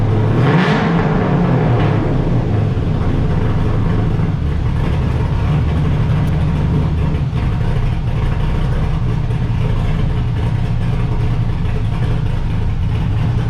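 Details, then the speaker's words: LS1 V8 swapped into Honda S2000, first start after emailed tune fixed earlier tuning trouble: short rev then even smooth V8 idle, no knocks or misses. "you call them up send them a email tune and dude starts up awesome it's just perfect"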